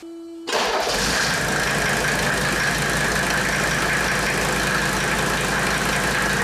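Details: 1984 Mercedes W123 300D turbo diesel, new to owner after sitting, started after topping up power steering fluid while the wheel is turned to purge air: it catches into an even diesel clatter with a faint steady whine over it. Healthy, stable idle.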